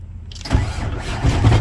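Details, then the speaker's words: Blue Kenworth truck diesel cranking with heavy, uneven low thumps; oil pan removal revealed a cracked crankshaft and a partially spun number 7 main bearing. Severe knocking while cranking from a broken crankshaft. "So that's what I was guessing all along, was that the crank was broken somewhere, because that noise while cranking is pretty horrible."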